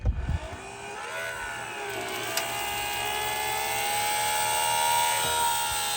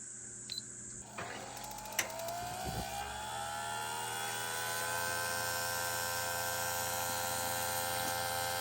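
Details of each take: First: Small plug-in water pump drawing from dropped 7-gallon jug for van shower, no on/off switch: steady whine slowly climbing in pitch, strained with poor flow; owner then suspects it wasn't snapped in tight enough, works after reseating. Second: Propane camper shower water heater in a van: quick string of spark ticks, then a rising hum and whoosh as the burner ignites, on minimum heat setting after the pump was lowered for gravity feed; heater lights and runs normally.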